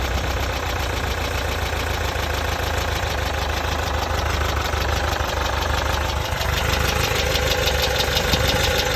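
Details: Knocking noise at idle from a Type 4 engine: steady idle with a loose, uneven knock about three per second riding on the low rumble; cause suspected, not confirmed.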